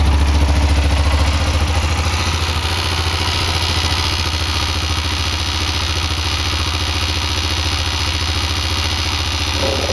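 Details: Yamaha XT660 single, very cold start: quick steady ticking about three or four per second over the idle thump for roughly 40 seconds; owner suspects the oil pump, not confirmed.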